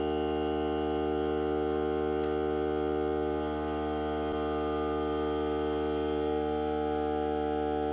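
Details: Hart cordless air compressor during break-in run on a fully charged battery (30 minutes or until the battery dies), pressure around 30, hose connected; steady even motor hum, constant pitch, no hiss or clatter, normal running under load.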